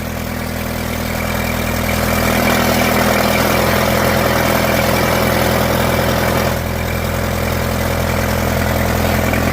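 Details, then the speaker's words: Old farm tractor, started without choke: steady, even idle with a smooth low firing beat, no knocks or misses; it snapped to life, runs healthy with good oil pressure. "Ah, she snapped. There you go. Yeah, sounds good."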